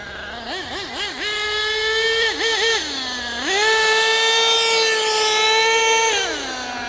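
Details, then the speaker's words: HPI Savage GT6 nitro RC with F4.6 engine: high-pitched blips, then one steady screaming pitch at full throttle with no drop for a gear change; two-speed transmission stuck in second despite tightening, not shifting. "But I'm fairly sure that it is definitely stuck in second."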